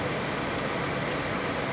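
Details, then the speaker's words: Gas heater on first power-up in heat mode, thermostat at 90: induced draft motor starts first, creating negative pressure; smooth, even blower rush with no rattle, scrape or wobble, running healthy. "First step is your induced draft motor comes on. The induced draft motor creates a negative pressure on the what"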